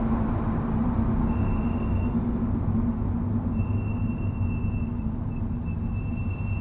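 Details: Subaru STI Spec C with Brembo calipers and Endless MX72 pads fitted without anti-noise shims: high thin squeal coming and going under gentle braking over low rumble; brake squeal only when braking lightly.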